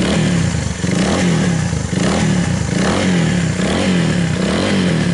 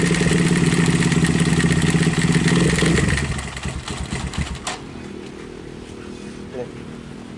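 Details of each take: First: Viar 150 after repair of a loose cam chain that had let a valve hit the piston; test run after reassembly with a steady single-cylinder putter gently rising and falling about once a second. No knocking, smooth idle. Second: Viar motorcycle (150 cc per title) that sat unused about five months: revving brings a fast loose clatter from the top of the engine that fades as revs drop; the cam chain had gone slack, letting the valves contact the piston.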